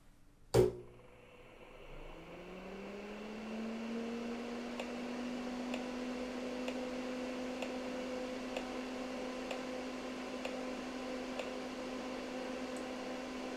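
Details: PCs Limited (Dell) 286 power-on after removing the vocal synthesizer, modem and I/O cards (earlier overcurrent): sharp click, fan spins up to even hum, one short beep; clean normal POST.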